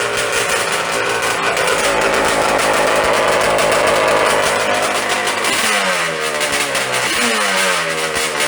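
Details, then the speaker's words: Yamaha Banshee two-stroke twin on cheap knockoff 38mm Keihin PWK carbs, pilot jets raised from size 55 to 80: rough, slightly hunting idle with short throttle blips; improving but still slightly lean at idle. "And then here's what getting on the right track sounds like, but we're not quite there yet."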